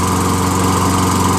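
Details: Toro Recycler 22" self-propelled mower, 6.5HP Tecumseh single-cylinder, after hydrolock cleared, carb rebuild and replaced dented jet nut, fresh fuel: steady even drone, regular firing pulses, no misses or surging; runs normally.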